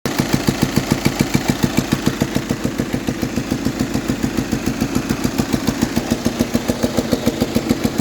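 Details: VW Passat at idle: sharp, very even ticking about three or four times a second from the head; worn camshaft followers, fixed by fitting four new followers.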